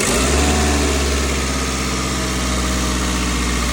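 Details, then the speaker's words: 2003 Ford Focus running with the accessory belt removed: steady, even idle, smooth low hum, no squeal, tick or rattle; engine itself clean, so the noise was traced to a belt pulley, the failing water pump. "el mjor sonido Perdón del motor solo obviamente una de las tes poleas es la que va a estar ocasionando el ruido"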